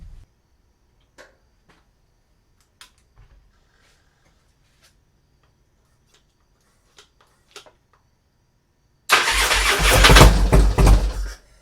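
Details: Harley FXR with a Twin Cam V-twin, already heat-cycled, restarted with a jump box on a weak battery to check a new oil gauge line for leaks. A quick crank catches and revs to a strong, even run with no knocks or misses; normal startup.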